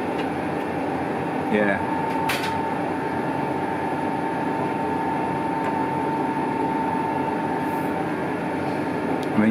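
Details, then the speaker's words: Colchester Triumph 2000 lathe cutting an unsupported workpiece without a fixed steady gives a steady, droning hum with a ringing tone near the cut, a vibration suspected to be chatter that a fixed steady is needed to cure. "you could hear the vibration going on I don't know if we can see that"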